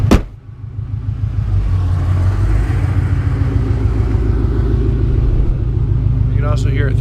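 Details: Turbocharged car (Turbonetics 60mm turbo kit, 5.5 lbs boost, custom tune) at idle: deep, uneven thumping at the tailpipe, about three per second; owner suspects an exhaust leak or something loose at the back, unconfirmed.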